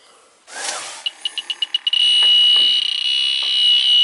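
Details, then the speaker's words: Central air conditioning, low on refrigerant, air handler evaporator: electronic leak detector's quick high beeps speed up into a steady shrill tone at the evaporator; refrigerant leak detected, evaporator needs replacing. "it she's a leaker the evaporator is leaking terrific what does that mean that means you get to get a new evaporator"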